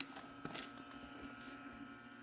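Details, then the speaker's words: Dell Dimension 9150 (XPS 400) desktop PC, Pentium D 3 GHz, running in the cold, at power-on after first failing to stay on; steady hum with a thin loud fan whine; owner first suspects a bad fan, then thinks it's probably just unhappy running cold. "okay it did not stay on ooh there's a bad fan in there somewhere"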